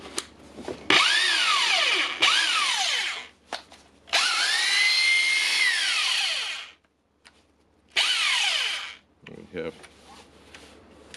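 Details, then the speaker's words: Hilti TE 5 hammer drill after service, test run in drilling mode: high motor whine in bursts spinning up and coasting down, runs smoothly; parts are discontinued for this tool. "it's only drilling, and so it works that good for this tool."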